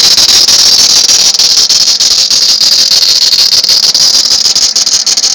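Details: 1999 T/C van, loud piercing high-pitched squeal with fast chirping flutter from accessory belt drive despite belt replaced four times and new water pump, alternator, idler and tensioner pulleys; owner doubts the drive pulley or power steering pump, unsure of the source.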